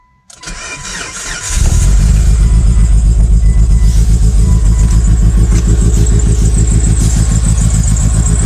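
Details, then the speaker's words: Mitsubishi Evo 8 with a blown engine: cranks, catches, then loud idle with a steady deep knock about four times a second; rod knock, so the engine is being removed. "As you guys can hear, the engine is not in the great shape, does have a rad knock, so today I am going to remove the engine out of the car."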